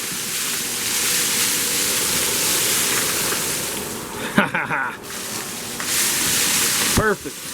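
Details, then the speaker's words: Shop-built cyclone dust collector upgraded from 1 HP AC to 2.5 HP DC motor with Harbor Freight speed controller, turned up from minimum: steady rushing airflow with clatter of debris drawn in from a pile; pulling strongly, normal suction. "That's about the power that I want normally."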